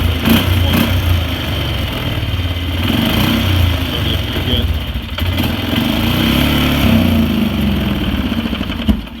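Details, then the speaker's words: Polaris Sportsman 500 ATV with uneven, lumpy single-cylinder idle that runs on, then cuts out abruptly; it had backfired through the exhaust at idle and wouldn't throttle up. The ETC throttle micro switch came loose because its holding piece was bent open, killing the engine. "there killed it because that micro switch came loose from it"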